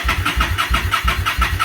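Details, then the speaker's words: Motorcycle after winter storage, choke on, battery tender just removed: starter churns in even pulses about six a second without firing because the gas valve was left off; cranks but won't start until fuel turned on. "Always takes a second for the gas to get in there. Oh, might help if I turn the gas back on, right?"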